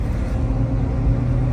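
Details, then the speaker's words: 2004 Ford Taurus 3.0, driving in fourth gear after a melted wiring harness repair: steady low droning rumble and vibration at speed from a screaming worn wheel bearing. "I think we just found fourth I think and hear that wheel bearing screaming again and that vibration that's not going anywhere"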